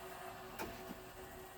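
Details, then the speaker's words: Intergas ECO RF boiler after full strip service and seal swap, gas supply deliberately off for safety check: sharp ignition clicks and spark snaps with no burner roar, never lights; boiler should go into lockout. "So at the minute I've got the gas turned off and the boiler's trying to fire up. What this is doing is this is a safety check we do."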